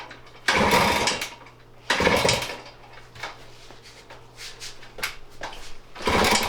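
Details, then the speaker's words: 1978 Kawasaki KM100 mini enduro after electrical restoration, choked, kick-started: a few brief bursts of engine noise die away without running; hard starting, possibly flooded. "Maybe it's not choked. Oh, it's choked. Did you flood it already? Okay, hold it wide open and kick it over."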